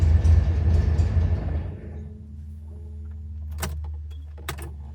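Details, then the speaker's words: 1970 Porsche 911T on its first drive in over a decade, with only one gallon of fuel added: the engine pulls with a lumpy, uneven beat, then sags to a faint idle with clicks. It is stumbling from fuel starvation after running out of gas. "it is out of gas I can hear it isn't the fuel bump yeah it's out of gas"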